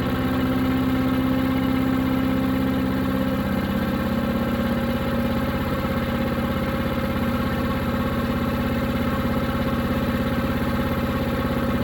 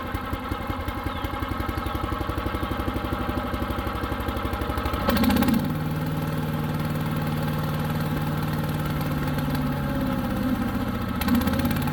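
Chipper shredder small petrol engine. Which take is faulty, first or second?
second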